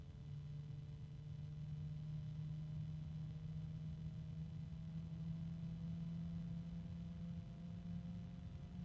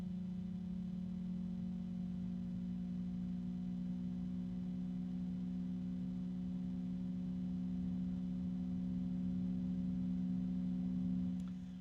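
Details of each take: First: Sleeve-bearing PC cooling fan with 3-pin connector, free-running: steady low hum with fainter higher harmonics drifting upward and slight rubbing; fan tonal hum, quiet now but expected to worsen. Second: Sleeve bearings. And it's pretty quiet. It won't stay that way because it's sleeve bearing.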